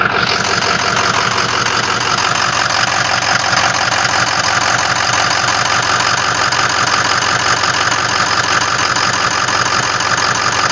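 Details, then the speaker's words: 6.0 diesel truck with cold-morning hard starting, cranking quicker after a FICM replacement: rough, clattery idle with a hard rhythmic knock about two per second. Failing injectors were found; the owner guesses they caused the FICM failure. "and i found out that i had um bad um fuel injectors too so i'm guessing the bad fuel injectors caused the uh fuel injector control module to go up"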